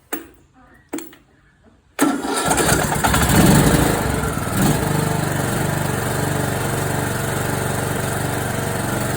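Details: John Deere D105 with Briggs & Stratton Intek 17.5HP engine that seized from lack of oil while mowing, restarted after oil added and new Champion RC12YC plug, on full choke: a few pulls, then catches into steady even single-cylinder running with no knocking; sounds okay.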